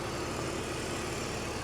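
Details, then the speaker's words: 2004 BMW Z4 2.5i straight six, engine bay: steady, even idle with a smooth low hum and no knocks, ticks or misses; no leaks, smoke or odd smell, green coolant, sounds great; normal idle. "I don't see leaks I don't see any puffs of smoke or anything I don't smell anything weird coolant green coolant she sounds great this would be a great car to buy"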